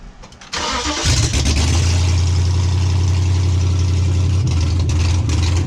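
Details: Hemi V8 swapped into a 1998–2003 Durango/Dakota, first start after disabling CAN-bus ignition system, extra modules and EVAP: short crank, then catches cleanly and settles into strong even idle with steady low rumble; normal start.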